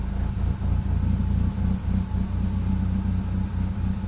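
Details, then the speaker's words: Mitsubishi Lancer GLXi 4G92 manual, idle drops and stalls in traffic with aircon; low slightly uneven idle stays flat when steering wheel is turned, no rise: idle speed control not compensating for load. "Ayan mga boss walang walang reakson mga bossing. Ayan oh. So hindi siya tumataas mga boss."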